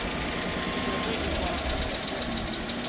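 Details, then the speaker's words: GMC Sierra 1500, first start of the replacement engine with oiled cylinders smoking: light, quick ticking over a steady idle as lifters tick until oil fills them; lifter tick at first start. "The clip isn't holding, so we're gonna have to do something about that. Huh? The lifters sound like they tick."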